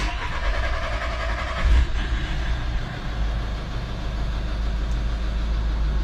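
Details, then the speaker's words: VW 1.6 diesel (CAY) van after replacing the cylinder 1 injector (code P0201) and clearing codes: brief crank, catches and settles into a steady, even idle on all four cylinders with no misfire: normal start and idle. "there we go there we go that is the van all back up and running out on all four cylinders like a little single sewing machine"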